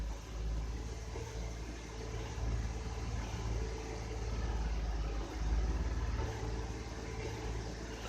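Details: 2006 Honda Odyssey idling in the garage during diagnosis of P2646 VCM code with a leaking oil pressure switch; low, even rumble with a soft regular pulse and no misses; normal idle.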